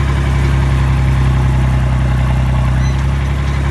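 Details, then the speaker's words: IH Farmall 560 diesel after fuel issues and a new fuel cap, driving in torque amplifier (TA) with brakes applied to load it. A deep, steady drone pulls down without stumbling or stalling, so the TA still drives. "Go on the brakes and see if you can stall it. I'm not going to stall it, but listen for it to pull down."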